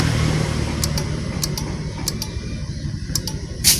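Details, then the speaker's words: Honda Scoopy scooter with good battery and lights working: only sharp clicks at each starter press, no cranking; loose ECU connector overheated and melted, cutting the electrical circuit. "Nah jadi waktu kita pencet tombol starter nah dia hanya terdengar seperti itu ya seperti ini contohnya fokus ke sini"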